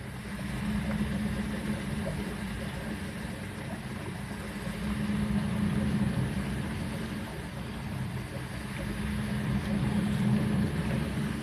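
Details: Siemens dishwasher with error E25, after the pump was removed and refitted: steady low hum with a faint, regular churn and no grinding or rattle while the pump is watched for leaks; running normally.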